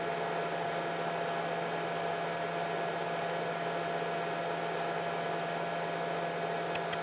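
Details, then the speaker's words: Nyko Intercooler on PlayStation 4: steady high whir with fixed tone, no rubbing or ticking; small fans spinning fast, speeding up as console heats, loud but running normally. "so yeah it's pretty loud I actually when I was initially testing this I had it in my bedroom and the fan when it got really loud when because it speeds up when the PlayStation 4 gets hotter"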